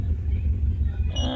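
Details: 1999 Subaru Legacy B4 idling erratically: lumpy, uneven low rumble with irregular misfire, no current codes; earlier knock sensor and oxygen sensor codes, cause not pinned down.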